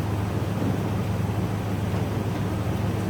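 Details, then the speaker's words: Jeep Grand Cherokee replacement aftermarket window motor and regulator, with plastic carriage, powered up before being attached, replacing an 18-year-old failed unit: a steady, even low hum with no grinding or clicking as the carriage travels up. Normal operation. "going up. I can see it moving. And we have movement of the carriage."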